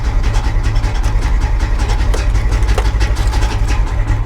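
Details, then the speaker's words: Manual-transmission car at auction, started in neutral with clutch in: lumpy uneven running with irregular surges over a deep rumble; owner wonders if there's no oil pressure, and it kept running with the key out until stalled with the clutch. "that doesn't sound good is there no oil pressure"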